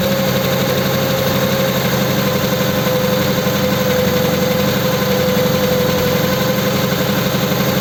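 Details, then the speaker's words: Engine running a Holley 94 carb, cold and with the choke now off after starting on full choke: uneven, lumpy idle of about four pulses a second with a faint tone, messy as revs rise; rough running. "okay it's got no choke now doesn't seem clean as the revs come up it's a bit messy it isn't hot yet though"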